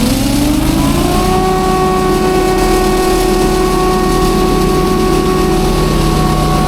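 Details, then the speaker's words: Leaf loader engine on a dump trailer, with fresh 10W-40 oil, sensor clamped and run without the battery pack: picks up quickly and holds a steady high speed with a clean, even drone and no knocks or misses. Fuel pump working well. "too there we go 37 oh yeah that full fuel pump's working really good"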